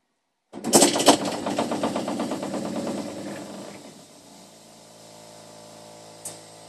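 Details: Newly fitted replacement expansion vessel, larger than the original, with water heated up: sharp burst of fast uneven rattling knocks settling into faint hiss; owner suspects water hammer, not confirmed.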